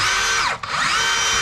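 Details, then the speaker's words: DeWalt 54V hammer drill after rebuilding the hammer mechanism: high steady whine runs clean, dips briefly as the trigger eases and climbs straight back to full speed; normal drill spinning. "spinning and turn the hammer and spinning. You can hear the hammer work. Even the whole machine is shaking now. So that means it works."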